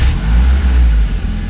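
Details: 1995 BMW E36 318i after its split idle control valve vacuum hose was taped over: steady, even low idle rumble with no hunting, stumbling or hiss. The idling problem is cured and the engine sounds healthy.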